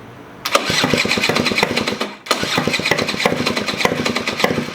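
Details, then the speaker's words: 1987 Honda Aero 50 two-stroke scooter, first start of restomod after carb refitted and fuel lines reconnected: crisp rapid popping that dies, then catches and picks up with throttle; hard starting, possibly from old fuel in the lines, heavy smoke. "It's puttering way better, which means the fuel. Maybe there's old fuel trying to get out of the lines right now."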